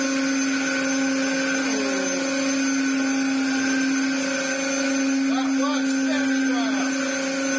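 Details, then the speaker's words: Dyson DC07 Clic vacuum after restoration and replacement parts: steady high motor whine with intermittent squeaks and chirps; abnormal running noise. "oh my goodness that noise isn't good and there's only one real thing that I can do now"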